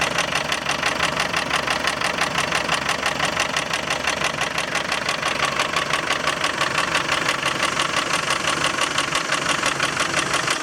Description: Land rover Defender 300 TDI strange engine noise after timing belt change... loose timing belt? misaligned pully?